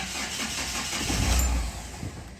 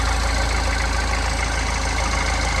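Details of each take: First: Mahindra Xylo, not starting for 3–4 months, before repair: cranks, catches for about half a second, then dies straight away; start-and-stall complaint, later fixed by repairing the injector circuit. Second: Mahindra Xylo diesel after an injector circuit wiring repair cured a 3–4 month crank-no-start: a low, steady idle with an even clatter that holds speed without stumbling or hunting, a healthy idle.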